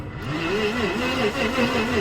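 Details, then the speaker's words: 1988 Jaguar XJ6 (XJ40): steady starter churn with a wobble about three times a second, never firing, tachometer not moving; no spark suspected, and one cylinder has no compression, stuck valve suspected. "Doesn't sound right. And look, the tacho's not moving either. That means we've got no spark."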